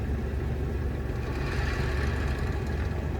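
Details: Jeep TJ NV3550 manual transmission idling in gear, clutch barely released, just refilled with about 1.5 L of Royal Purple fluid after metal was found on the drain plug. Loud coarse rattly churn "like a can of marbles"; noise stops with clutch in, probably the input shaft bearing.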